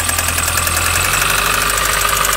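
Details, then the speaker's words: Mini One R50 1.6 16-valve 90 hp, cold start, doesn't start first try: fast light metallic clatter over idle while warming; slack timing chain from hydraulic tensioner suspected, injection already checked and ruled out. "moteur froid démarre pas du premier coup le souci qu'elle avait avant avec le cliqueti alors voilà le temps que ça chauffe regardez-moi ça écoutez-moi ça écoutez le"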